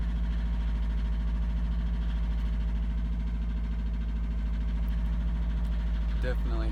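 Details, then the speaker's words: 2002 Subaru WRX with a built EJ25 2.6L STi hybrid engine with forged internals, cold start on a morning in the high 30s to 40s °F: deep idle with a regular hollow clatter. Owner suspects piston slap. Cold idle knock. "i have a good amount piston slap in the morning it's actually pretty loud when it's cold out but i want to give you guys a quick view of it and show you what it sounds like"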